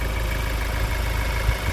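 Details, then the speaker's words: Bi-turbo 2.0 diesel after PCM update of both gearbox and engine: low, even diesel rumble holding a steady idle without stumbles or injector knock, very smooth after the update; normal idle. "อัปเดตpcmนะครับอัปเดตpcmนะ2อย่างอัปเดตเกียร์กับอัปเดตเครื่องเอ้าเอาง่ายๆจบเลยนะเงียนกิ๊บเลยนะครับผม"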